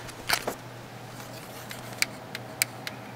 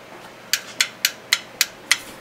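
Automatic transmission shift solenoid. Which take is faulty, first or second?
first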